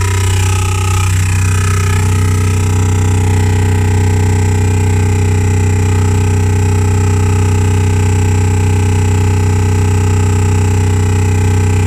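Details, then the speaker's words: 2015 Renault Grand Scenic with Bose sound system and R-Link: loud low drilling drone pulsing about three times a second from the speakers, continuing with the engine off. The fault was later resolved by Renault. "Sound system. Yeah, it's coming from the bass. Coming from the Bose sound system. There's clearly a fault with the internal sound system."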